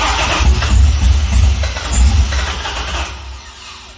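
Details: Chevrolet C6 Corvette with junkyard engine and Terminator X ECU, first start attempts: rapid rhythmic cranking, roughly three beats a second, that never catches; crank no-start, no fuel from unpowered pump relay circuit.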